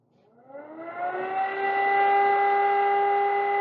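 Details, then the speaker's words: Homemade centrifugal fan rebuilt from a broken desk fan with a plate housing, mains powered, whine climbing as the rotor spins up then a steady even whir, no rubbing or rattle. Normal running whir. "It makes a pleasant whirring mechanical sound. Air comes out this hole."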